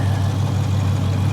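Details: Deep V8 idle with a slightly uneven, lumpy beat on a hard-used auction car needing bodywork and mechanical work; no clear steady miss, rough idle, cause not pinned down.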